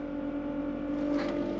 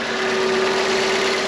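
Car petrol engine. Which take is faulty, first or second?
first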